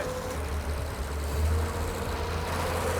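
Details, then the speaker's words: 1943 Chevy Blitz truck being revived: a steady, low, even petrol engine rumble with no misses or knocks after getting enough fuel in through the carby; now running smoothly. "all right you're gonna get to listen to that bird across the desert oh yeah it just needed the Carby to help you"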